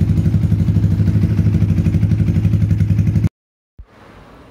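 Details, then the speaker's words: Yamaha Vixion/Xabre after engine rebuild with new cylinder block and piston rings (0.10 clearance), worn oil ring had let oil past; valve clearance set exhaust 0.15, intake 0.10: steady, even single-cylinder idle, no knocking or ticking; smooth, healthy. "suara mesin sudah halus celah klep saya set X berukuran 15 sedangkan in berukuran 10"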